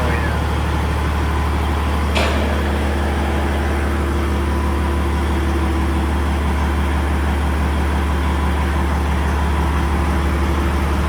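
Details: 389 truck idling in neutral after a newly installed wastegated turbo, through big stacks: deep, steady diesel idle with an even low thrum and no knocks or misses; healthy idle.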